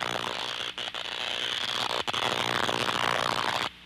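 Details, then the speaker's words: Ultraprobe 2000 ultrasonic detector picks up a steady crackling, frying buzz with brief dropouts, the typical sound of electrical leakage by arcing or corona. "most of the standard techniques apply even to detecting electrical leakage both arcing and corona electrical leaks make a frying or buzzing sound"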